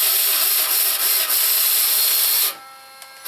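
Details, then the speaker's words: Axial SCX10 RC crawler after a rear axle refresh, heavily regreased: an even high-pitched whirr of motor and gears with a faint steady pulse, then it stops. Rear drive works normally. "was me doing that, so you know. Yeah, we've got rear drive again."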